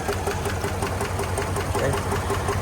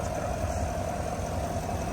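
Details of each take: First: 2022 Chevrolet Suburban V8, towed in with flashing check-engine light and scanner counting cylinder 7 misfires; at idle a quick, sharp, steady ticking in the engine, later traced to a failed lifter and bent pushrod on cylinder 7. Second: 2022 Chevrolet Suburban V8 after engine noise/misfire repair. Smooth, even low idle hum with no tapping or knocking; checked for oil and antifreeze leaks, all running well.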